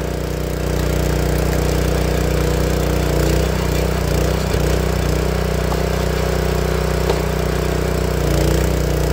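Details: Honda GX160 single-cylinder log splitter engine, after spark plug replacement, holding a steady, even chug at about four beats a second with no popping or coughing; earlier warm-up popping was traced to a failing spark plug. Normal running.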